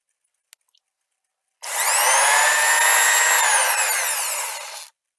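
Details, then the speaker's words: Erbauer ER0450 sander after teardown, bearing cleaned and repacked with lithium grease: spins up to a clean, even whir with slight pitch dip, no rumble or grind; previous noise gone, runs as when new. "Definitely sounds like it did originally when I bought it. So I solved that one."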